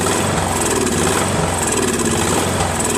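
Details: Craftsman 13.5HP mid-engine riding mower, replacement engine repower, first start after new starter and battery: ragged hunting speed with irregular pops, surging and backfiring; owner suspects key sheared when banged in, timing slightly off.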